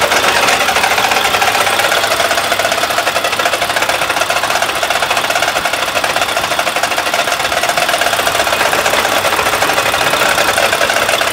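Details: Mack truck with MP8 engine making a fast, even knock-like tapping over a hissy running engine; it no longer builds air pressure. A previous mechanic said it needs a new engine; cause unconfirmed.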